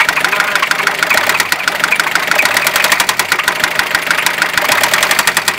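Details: Fiat Ducato 2.5 TDI diesel at idle: a sharp, fast, even tapping over the diesel clatter that keeps pace with idle. Engine knock, cause not clear.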